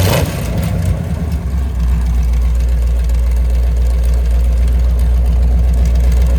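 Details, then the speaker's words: Mopar 383 V8, mufflers off, about 900 rpm idle: loud open-pipe idle with an even, slightly lopey thump. No ticks or knocks, healthy street-cam idle. "And I tell Rick we always have to pull the mufflers off just to see what it sounds like. Nice little street cam."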